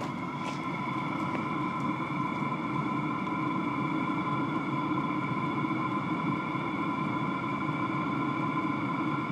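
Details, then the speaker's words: Cheap Chinese Webasto-type diesel heater running on red diesel at full load, drawing 40–60 W intermittently: steady even roar with constant fan hum, no surging or sputter, burning strongly at full output, normal running. "ouais il cartonne le gros là à pleine charge sur la Blue il me prend 60 par moment il prend pas tout le temps"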